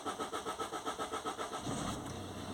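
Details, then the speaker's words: 2014 Citroen C4 Picasso diesel with a history of low fuel pressure: starter churns in quick even pulses, about seven a second, before it catches and idles; long crank to start, rail pressure fluctuates; cause unconfirmed. "Well, it took a little bit of cranking to start. It's running already."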